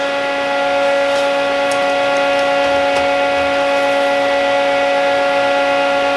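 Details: Old plasma cutter powered up at a setting of 30 after freeing a stuck, sticking internal switch found during troubleshooting; fan and power light on. Loud, steady blowing rush with constant electrical hum, no dropouts or crackle: normal running.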